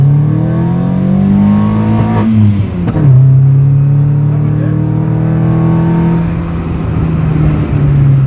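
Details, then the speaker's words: VW Golf Mk1 first start after adjusting timing, heard at the rear: clean, even engine note rising and falling smoothly with the throttle, no misfire, stumble or ticking; runs much cleaner than before. "Let's see how it's sounding in the back. [Music] Okay, this sound much more clean. Can you hear that, guys?"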